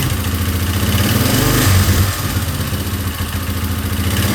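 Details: 2003 Yamaha Wolverine ATV single-cylinder, first run after head and cam chain work: uneven thumping of about three to four beats a second with stumbles and surges, running rough; owner suspects the timing is off and plans to recheck it.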